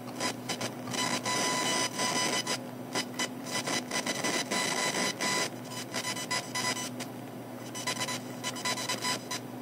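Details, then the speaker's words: Computer speakers, turned up loud but audible even when quiet, give irregular buzzy chirps and beeps with hiss bursts over a faint steady tone; beeps track mouse movements and page loading, a speaker interference nuisance. "okay this is a test with only audio no video my phone is in front of a speaker let's get some ideas what this sounds like my speakers are turned up really loud but when they're quiet I can still hear it it's a big nuisance"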